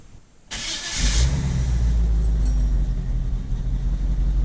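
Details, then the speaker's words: 1975 Chevy C10 long bed V8, carburetor, cold start after about 3 pedal pumps: short crank, catches at once, holds smooth steady idle with no stumbling; well-tuned carburetor, clean cold start. "And it starts just like that. Like, whoever dialed this carburetor in, they got it. The carburetor timing, I mean, it runs amazing. That was cold start."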